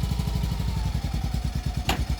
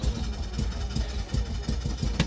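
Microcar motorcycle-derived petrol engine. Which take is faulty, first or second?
second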